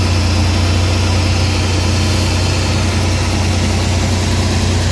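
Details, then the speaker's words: Suzuki DA64/DA63/DA17 engine after repair and reassembly, previously vibrating heavily and stalling with AC on: steady, even low idle with no knocks, misses or surging; running smoothly with the AC now cold. "So sige start na ngayon naka-start na. O ayan na yung makina guys."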